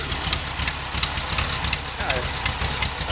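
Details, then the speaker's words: 1969 Volkswagen bus, freshly rebuilt 1600 dual-port flat-four with small Engle racing cam (possibly a 90), high idle: quick, throaty, slightly lumpy idle with an even beat and no knocks; normal. "I just wanted to show you what an angle 90 cam sounds like on a 1600 dual port. So that's what it sounds like after spending last week rebuilding this engine and installing it in there."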